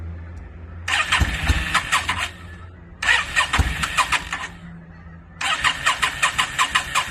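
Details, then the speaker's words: 2002 Yamaha V-Star 650, newly bought, possibly needing a full tune-up, on choke, rusty gas tank; three cranking bursts of quick uneven chuffs, barely catching and dying each time. Hard starting, owner suspects flooding. "I know I probably flooded it out and all kinds of stuff. I was just real anxious to hear it start, which I did get it running for a second, which you guys will see, but I'm pretty sure I flooded it out."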